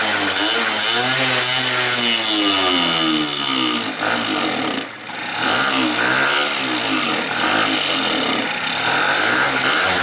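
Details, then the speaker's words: 50cc two-stroke scooter running lean: revs rise and sag unevenly, nearly stalling, then pick up when the carburettor bore is covered by hand; test to rule out a fuel feed problem to the bowl, cause unconfirmed. "um you know we still have fuel in here if we can keep it running just by restricting the air flow that will tell me that it's not a fuel feed issue to the Bowl"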